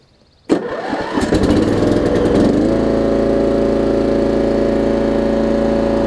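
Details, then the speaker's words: 30-year-old Murray riding mower with Briggs & Stratton Vanguard engine, revived with fresh gas, new fuel line and an oil change, parking brake on: brief crank, then it catches at once and runs steady and even with no misses or knocks. "mike said it's running great working great cut level super nice to be thirty years old with the vanguard engine on it as well"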